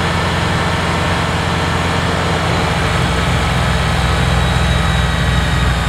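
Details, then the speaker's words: Kubota BX diesel tractor, warmed up after fixing cold-weather fuel starvation (suspected gelled fuel), being test-driven: steady, even diesel drone with no knocks or misses while working; runs healthy. "she warmed up all right and i pulled her out just to give it a little test before uh head down the driveway and she's doing okay"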